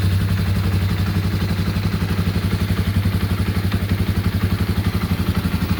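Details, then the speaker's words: 1987/88 Yamaha Warrior 350 single-cylinder after restoration, ready for sale: fires right up and idles with an even, steady thumping beat — normal healthy idle. "Sounds really good. Super happy with this one."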